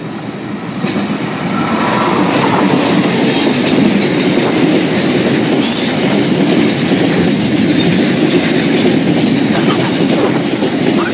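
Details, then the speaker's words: Train running on continuous welded rail with no gaps between rails: steady rolling roar from the wheels with almost no rhythmic clack of rail joints, a smooth ride. "Iya guys suara tektek tektek tektek hampir tidak terdengar ya guys ini karena memang rel sudah tersambung dengan mas tidak ada renggang di antara dua rel ya dan itu menjadikan naik kereta lebih nyaman guys"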